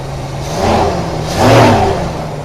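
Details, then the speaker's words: 1975 Chevy C10 SWB with a 350 small-block, first start after sitting, fed by a temporary fuel line and funnel: two clean revs over a steady idle with no ticking or tapping, healthy engine. "Man, you don't hear no tick, no tapping, no nothing."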